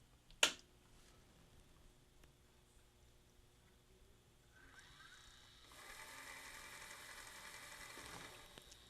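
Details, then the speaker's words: Magnavox ZV427MG9 VCR/DVD recorder that wouldn't take a tape, after replacing a bad capacitor and KTC3198 transistor in the motor enable circuit: on power-up a click then light whirring and clicking as the loading motor ejects the tape normally. "if everything works well as soon as I apply power you hear the loading motor try to run to eject the tape here we go"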